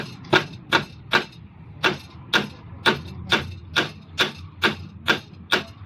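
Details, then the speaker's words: Toyota common rail diesel injector (D4D/Denso) on a test rig: sharp, regular ticks about twice a second but no spray; clogged by oily deposits from the diesel, to be cleaned with WD-40. "एक इंजेक्टर बिल्कुल सही स्प्रे मार रहे हैं आपने शायद देखो एक भी नहीं मार रहा है एक तो मार रहा था उधर"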